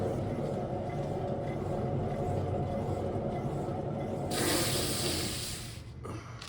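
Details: 2010 Buick LaCrosse, roaring noise when driving, rear wheel spun with the car raised: a steady low rumbling roar traced to a bad driver's side rear wheel bearing.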